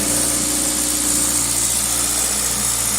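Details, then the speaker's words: 2000 Toyota Celica GTS 2ZZ petrol engine, warm at 90°C coolant, idling steadily at 1800 RPM with the throttle cable disconnected, too high; extra air suspected, with the idle air control valve diagnosed and cleaned. "okay we're now up to operating temperature and you can see the engine is revving pretty high no throttle the throttle cable is disconnected"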